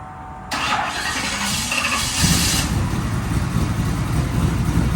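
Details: Chevy C10 right after a faulty fuel pump was replaced, 6 psi fuel pressure: brief crank, then fires and settles into a steady, even run with a small rev, no stumbling or misfire; normal running.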